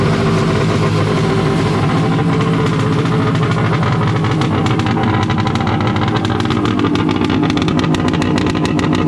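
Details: Wave Blaster jet ski after a 701-to-1100 engine swap, running after a rubber O-ring was removed to increase cooling water flow for a warm silicone pipe. Loud, raspy two-stroke drone stays steady and even with no misses or surges. Normal running.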